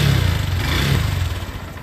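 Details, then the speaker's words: Hero Xpro motorcycle, kick-started single cylinder: runs while throttle is held, then the beat weakens and fades out as the throttle is released, stalling off idle. Cause not yet found; ignition and spark plug being checked. "বাইকটা স্টার্টের problem হচ্ছে বাইকটা বন্ধ হয়ে যাচ্ছে যে start করার পরে accelerator নেওয়ার পরে বন্ধ হয়ে যদি এক্সেলারেটর ছেড়ে দেওয়া হয় তো বাইকটা বন্ধ হয়ে যাচ্ছে"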